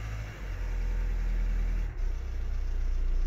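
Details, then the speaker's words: VW-group TDI PD diesel, hot, after adjusting torsion value via scanner to cure white smoke and heavy vibration: deep, steady, even idle with no shake or misfire after a brief dip, no smoke; normal idle. "and this sounds beautiful so yeah if you got a problem if that the white smoke the first thing check the the scanner of the torsion value"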